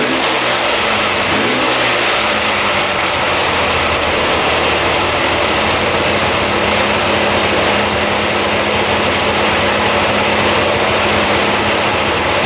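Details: 2002 Polaris Scrambler 400 4x4 ATV restarted after running about 10 minutes; brief blip then steady even idle with no misses, knocks or surging; running as it should.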